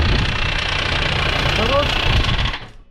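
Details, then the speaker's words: Kia with D4B 2.5 L diesel at idle, loose uneven tapping three to four times a second over the clatter before shutting off; suspected hydraulic lash adjuster (lifter) knock, not confirmed. "приехал к нам на ремонт Kia senta с Посторонним шумом в двигателе Сейчас будем разбираться что с ним"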